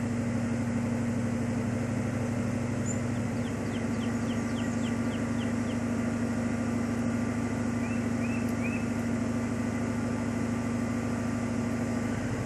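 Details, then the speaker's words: 1995 Ford Mustang GT V8 (OBD1) cylinder balance test: steady idle with brief even dips as each cylinder is cut; returned code 9, system pass, all cylinders equal compression and power, engine good. "I got a nine so that means that it's a system pass all cylinders are running on the same compression they all have the same amount of power a cylinder didn't fail so my engine's good to go"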